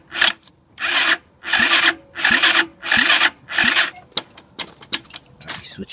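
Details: 2007 Roketa 260cc ATV cranking in short repeated bursts about once a second without catching; everything powers on, carburetor is a smaller, different type, and it only rarely starts with starter fluid sprayed in; cranks but won't start.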